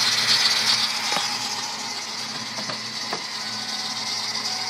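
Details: 1997 Mustang Cobra, 120k miles, otherwise runs great: a steady, thin, high squeal from the engine front with faint ticking. It is loudest at first start, rises with RPM, and quietens after a while but never disappears; cause not yet pinned down.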